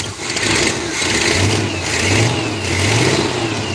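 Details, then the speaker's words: Pontiac Firebird V8, warmed up: short rev blips with a raspy, puffing exhaust manifold leak and a slight vacuum leak. "There's a little bit of a vacuum leak. Yeah. Get rid of that. Hear the exhaust leak."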